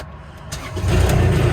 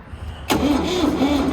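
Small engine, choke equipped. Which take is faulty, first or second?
second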